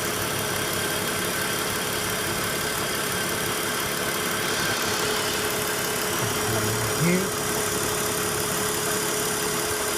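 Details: BMW engine at idle one year after a VANOS noise repair: steady, even idle with a smooth mid-pitched hum and no rattle or ticking from the top end; the former VANOS noise is gone and the engine sounds healthy.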